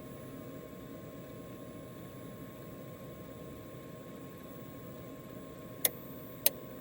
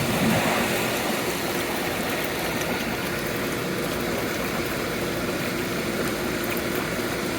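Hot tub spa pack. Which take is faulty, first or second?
first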